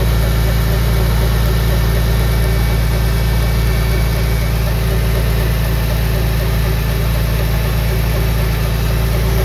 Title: Engine Noise? Can anyone guess the issue of the ticking noise? What is it?